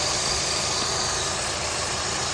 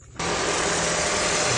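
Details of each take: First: 3rd-gen Honda CR-V K24 engine with old serpentine belt squeaking on acceleration, after spraying belt and tensioner and letting dry 30 minutes: steady quiet idle, even hum, no chirp; squeak absent, belt suspected rather than tensioner or pulley. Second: Third-gen Honda CR-V with K24 engine, just after serpentine belt replacement: engine catches and settles into a smooth, even idle with no squeak or chirp from the belt, smoother than before.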